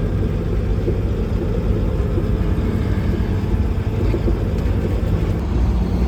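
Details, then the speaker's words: Mack diesel truck running after the injector cups and injectors were replaced (the failed cups had filled the engine): a deep, steady rumble with an even beat, no knocks or ticks, and good oil pressure. It runs healthy. "that sounds good so far got good oil pressure again guys"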